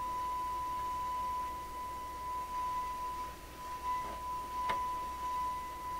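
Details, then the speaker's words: 1928 RCA Victor Model 28V TRF radio garbling investigation: signal generator output heard directly is a steady pure tone around one kilohertz, no warble or garble; clean generator signal. "Well, now we can hear the what the signal sounds like that's actually coming out of the signal generator. It sounds just ordinary tone."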